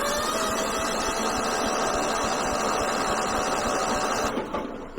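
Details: Kohler 15 hp engine on a Husqvarna lawn tractor, battery charged 15 minutes from a running car: brisk, even cranking at about three and a half turns per second under starter whine, now near proper speed after earlier slow cranking.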